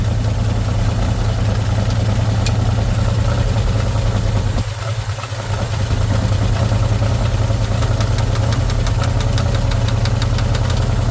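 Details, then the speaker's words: 1977 Pontiac Formula Firebird barn find, parked since 2007: first start after hooking up the fuel line to the carb. Deep, steady rumbling idle with one brief dip, hardly smoking. "Going to crank the key, get some fuel going up to the carb. Come on! Really? It's going to sit here and idle."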